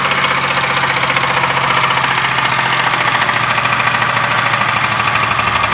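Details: 2002 Buick Century Custom 3.1L V6 at idle: rough idle with a quick, regular, loud knock on every engine cycle and shaking; owner doesn't know the cause.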